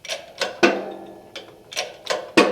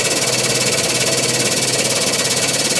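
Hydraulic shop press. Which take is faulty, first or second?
first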